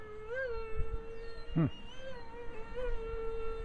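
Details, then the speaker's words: 55mm EDF A-10 RC jet, twin motors on a single ESC, 3S 1300mAh 40C LiPo: thin, steady fan whine wobbling up and down in pitch about every second; warbling, owner suspects the single ESC driving two motors. "so as you can hear it uh kind of makes a warbling noise I'm not sure if that's due to the ESC or what"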